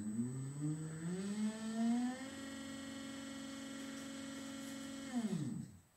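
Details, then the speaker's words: Newport Vessels 12V 36lb trolling motor on a 2022 Crescent Shoalie kayak, run forward and reverse via a Hobbywing 880 ESC with wired remote on a 12V 60Ah LiFePO4 battery: whine rises smoothly, holds, winds down cleanly; working normally. "and back to zero so everything works perfect now I'm going to shut it down"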